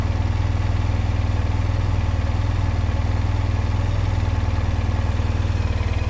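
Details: 2005 Honda Silver Wing scooter, first start after sitting neglected (moss-covered), oil and coolant checked; oil and ABS lights on at start; steady, even low thrum at idle with no misses, knocks or rattles. Normal idle.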